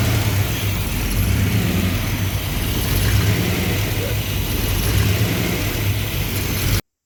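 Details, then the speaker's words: V8 with rebuilt Thermoquad carburetor: low idle rising and falling every second or so in soft waves, won't idle smoothly, hunting; lean surge. "So it would not idle smoothly. It was sitting there surging. It was hunting."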